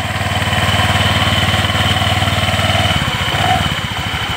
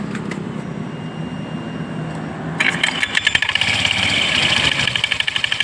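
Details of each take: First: Honda Vario 125 idling after CVT repair: the very loose drive belt was refitted and the pulleys are now tight; smooth even idle pulsing about four times a second with no clatter from the belt case, normal. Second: Honda Vario 125 scooter with coarse noise from the CVT, case opened: after starting, coarse rattling whirr with fast uneven clatter over idle; the drive belt is very slack and the roller housing worn tight, loose CVT drive belt.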